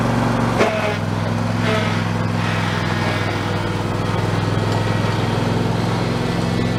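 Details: Husqvarna YTH2454 mower with 24 hp Intek V-twin, after a carburettor rebuild with a kit: steady, even drone with a constant idle, no misses or surging; normal running.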